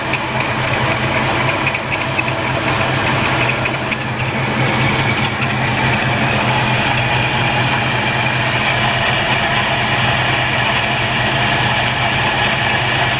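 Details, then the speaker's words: 1977 Buick LeSabre 350 V8 after engine removal and gasket overhaul, no leaks, warming up to burn off oil and paint: even, smooth idle with steady low rumble, no knocks or misses; sounds good and healthy. "we like sound good now I gotta let this when it warms up just want to burn up all the oil to paint more"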